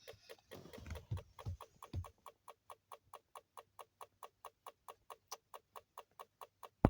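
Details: Toyota Alphard: light, sharp ticks at a steady pace of roughly four per second, clear and isolated; ticking noise, cause not confirmed.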